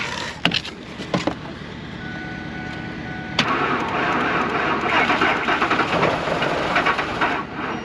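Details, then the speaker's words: Old Ford F-150 truck at about minus 37 to 40 degrees, sat 4-5 days, jump pack at 75%: cold labouring crank, rough uneven churn with a few hopeful catches, oil like sludge, never fires; cold cranking no start. "Figured this would be a quick one, but it don't want to start. It's like minus 37."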